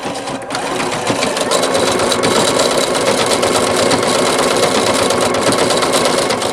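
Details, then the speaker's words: Singer Futura XL 550 sewing machine before the fix, running then sped up: fast, loose chattering rattle from the bobbin area, about three a second; rattle caused by a loose needle plate cover over the bobbin. "now here's a clip from my last video I did with that noise listen to this what it was sounded like before"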